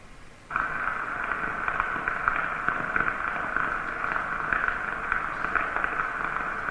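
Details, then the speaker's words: Ultrasonic probe on a rotating-machine bearing after greasing: steady hiss with faint periodic impacts about twice a second, previously masked by under-greasing; bearing spalling. "Donc ça, c'est le signal à l'écoute après le graissage. Qu'est-ce qu'on entend? On entend du choc périodique. Donc ici, on n'entendait pas ce choc périodique parce que ce choc périodique était mélangé avec un problème de sous-graissage."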